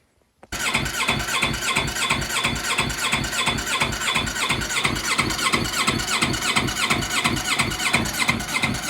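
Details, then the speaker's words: 2015 Yamaha R3 engine in a shifter kart build, after the exhaust was rerouted: the starter churns slowly at about three turns a second and never catches; owners suspect a weak battery, with wiring and fuel checked. "The engine just keeps running on the starter and nothing really is happening. The battery seems like it's not giving the starter motor enough power because it's turning over super slow."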